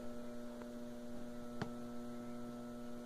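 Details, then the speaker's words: Wanke washing machine spin motor powered on: only a steady low electrical hum, no spin-up, motor stalled; burnt capacitor found, fix is replacing it. "está só fazendo esse ronco. Parou. Agora eu vou ligar. Só fica roncando."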